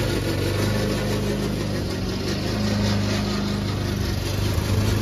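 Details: Old Toro Recycler mower cutting Kentucky bluegrass, binaural recording, before fix: small engine running steady under a rough, uneven clatter and rattle from the dry drive system; the noise was later solved with WD40.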